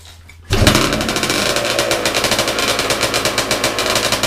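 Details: Big-bore stroker 277 two-stroke snowmobile engine, very first rope-pull start after rebuild with new sleeve, primed beforehand: fires on the pull and settles into a fast, even crackling beat of about six pops a second; running properly.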